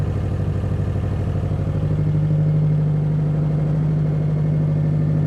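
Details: Subaru WRX STI with header wrap and a new AEM fuel pump, idling after oil cooler hose replacement for a coolant leak and a coolant refill: steady, even low rumble at about three pulses a second, no knocks or misses; sounds healthy.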